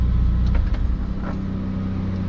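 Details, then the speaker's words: VW Vanagon with K24A engine conversion just shut off in the garage; low-speed radiator fan and the electric fan of an added Derale automatic transmission cooler, which kicks on around 180°F, keep humming evenly; normal cooling fan run-on. "so we'll hear the radiator fan it's still running there and also that transmission cooler fan"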